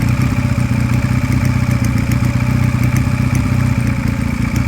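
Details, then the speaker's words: Sinnis Cruisestar 125cc Chinese single-cylinder motorcycle idling: faint, loosely regular light tick over a steady idle; owner suspects a slightly loose valve out of spec. "sure if the camera picks it up, but one thing I do want to check is there's a slight clicking in the engine. Now the engine's running too well for it to be a big issue, but there might be a slightly loose valve in there that's just out of spec."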